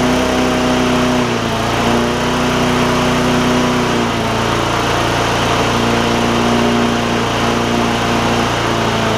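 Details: Bolens push mower with Briggs OHV single-cylinder, hard-pull rope, speed previously very fast: steady drone with small pitch shifts every few seconds, not holding even governed speed; owner suspects governor.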